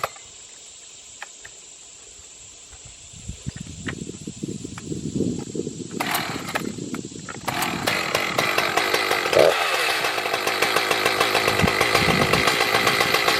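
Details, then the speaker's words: Echo CS-590 chainsaw after new carburetor fitted, no tuning: fires after a few seconds, settles into steady idle, revs up cleanly and holds; running normally, repair fixed no-start. "That was easy. Well, that was a really easy fix, to be honest. Just threw the new carburetor on."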